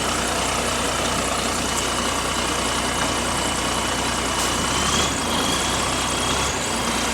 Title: Exhaust Leak | GAL WVL464 On Bus Route 89 Part 4 (5)